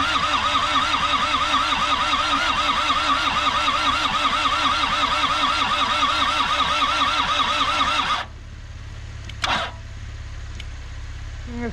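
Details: Isuzu P'up turbo diesel four-cylinder mini truck sitting 28 years, injectors bled, fed dirty parts-washer fluid: steady starter churn about three compression pulses a second for eight seconds, stops without firing; cranks but won't start.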